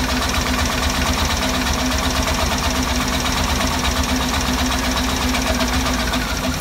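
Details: Cadillac Escalade idling: rough, uneven idle with irregular stumble and lumpy pulse under the engine note; engine misfire.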